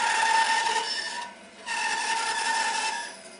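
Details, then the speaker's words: Bandsaw with 3/8-inch blade cutting a 3-inch circle from a 4-inch blank with steady pressure: even, steady rasp with constant tone, no bogging or stalling; normal free cutting. "Notice it's going round. You're not stalling the blade at all. It's cutting nice and freely."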